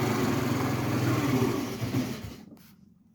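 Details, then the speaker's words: 50cc two-stroke moped, first start after a new battery. Cold engine buzzes at idle, then fades and dies after about two seconds; it restarts right away. Owner blames the cold; stalls at idle. "man, she cut off on me. She's just cold, y'all. She cold."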